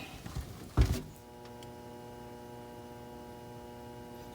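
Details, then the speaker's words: Indoor AC blower on a no-cooling call, with the 7.5 capacitor tested good at 7.6: a clunk at power-on, then a steady electrical hum with no airflow. The board is powered and signalling, but the motor does not turn. Seized blower motor. "obviously there's power going to this board because uh it is humming and it's giving the signal it's just not turning"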